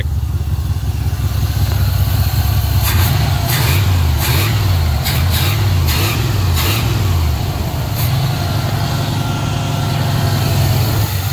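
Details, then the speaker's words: 1980 Pontiac Trans Am Turbo 301 V8 after sitting 18 years, warm idle with exhaust broken off just behind the muffler above the axle: steady, even low rumble, no knocks or misses, some handling clatter; normal idle. "so at least it's past the muffler it won't be too loud and it's just shooting right over the frame rail but just sitting here idling that's fantastic"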